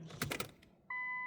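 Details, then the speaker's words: 1998 Nissan Skyline R34 RB25DE Neo with turbo conversion, key on before first start: a few light clicks then a steady thin hum holding evenly; fuel pump priming normally. "Just let it prime first, the fuel. Yeah, fuel pump prime first. Time. I can hear it."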